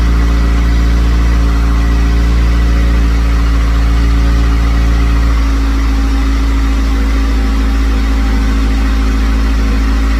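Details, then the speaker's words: C5 first start-up, coolant just added, on a jump: a loud idle that sags with a faint whistle. The idle is surging; a vacuum leak at the manifold vacuum ports is suspected, not confirmed. "She starts up fine. She starts up strong. She idles pretty good. You saw the surging earlier, no pun intended."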